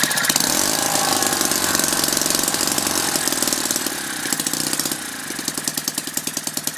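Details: Lynx 15 small engine on two-stroke mix, after fixing the detached fuel pickup tube causing an air leak: crisp, even firing pulses slowing steadily as the ignition is switched off, no knocks or misses; running healthily.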